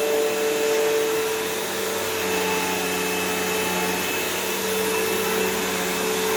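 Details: Dirt Devil Swivel Glide MVP upright vacuum on a belt/brushroll change job (belt was loose), bag partly full: steady even motor whir, constant high hum, no rattles or slipping; normal running.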